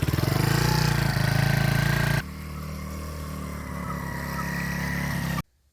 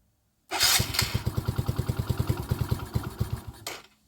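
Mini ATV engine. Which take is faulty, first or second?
second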